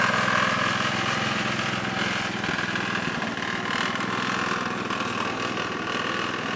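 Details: 1969 Gravely 432 engine, next morning at about 15 degrees, driving after carb float level fix; fairly even pace, steady beat, no knocks or misses. Normal running.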